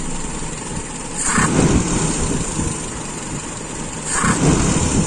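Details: Carburetor with a very small idle jet, idle mixture screw turned in too far: idle sags and surges about every three seconds, uneven and near stalling; idle mixture too lean.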